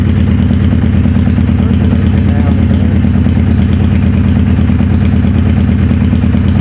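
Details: 2011 Suzuki Hayabusa GSX1300R, wrecked bike with busted stator cover brought in as a no-start, no slip-on exhaust: idle has an uneven lumpy pulse with a repeating stumble; one cylinder dead, misfiring.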